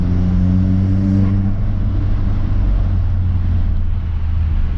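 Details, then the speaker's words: Audi S3 (owner thinks 8P) driving after new spark plugs and coil packs fixed a slight misfire with black smoke from sooted plugs: deep, even engine rumble with no stumble or uneven beat; normal running. "and to be honest it's running smooth as anything now before there was a slight misfire i was puffing black smoke because it was misfiring"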